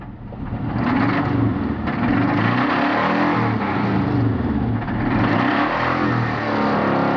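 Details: 1991 Subaru Legacy turbo AWD, after losing most of its oil when a misrouted turbo drain hose left no crankcase ventilation: it starts and revs with a dull knock; owner suspects bad bearings and expects a rebuild.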